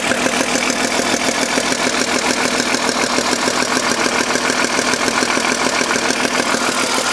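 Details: BMW M52 engine at idle with a weird noise: sharp, regular tapping about three and a half times a second over a loud idle; abnormal noise, cause not found.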